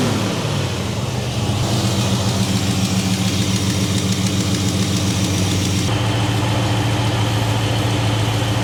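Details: 1967 Mercury Cougar idling after oil and filter change (Castrol GTX Classic 20W-50, Wix 51515), checking for leaks: smooth, even low burble with no ticking, knocking or misfire; engine sounds healthy.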